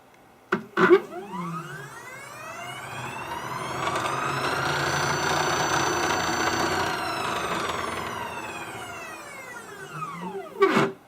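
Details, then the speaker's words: MDF CNC router on a new controller, fast seek move: stepper whine sweeps up, holds and back down with a buzzy rattle and vibration; owner suspects a bent lead screw or lead screw whip, possibly a loose bearing; axis rattle at high feed rate. "now i suspect a lot of that rattling is probably the lead screw"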